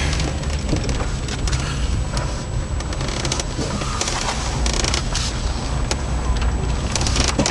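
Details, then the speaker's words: 2003 Intrepid, 2.7 L, under 84,000 miles, driven slowly around a parking lot: irregular crunching, creaking pops like pop rocks while turning the heavy, hard-to-turn steering over a low engine hum; bad strut plates, the car's second pair. "Hear that? That's a bad strut plate."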